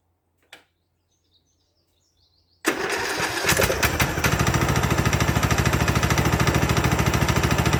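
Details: Craftsman LT2000 lawn tractor, unused since about 2013–2014, first start after cleaning the solenoid and ignition switch connections, fitting a battery and confirming spark. Quiet clicks, then it catches and settles into an even beat of about three pulses a second: normal start and run.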